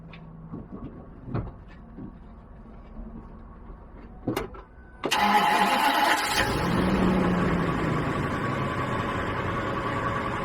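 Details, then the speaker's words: 2010 Ford 6.8L V10 Triton van after extracting broken exhaust manifold studs and refitting the manifold, cold start recorded by the passenger-side tire: quick crank, high even idle, no ticking or puffing; quiet, no exhaust leak. "Nice and quiet. Sounds pretty damn good."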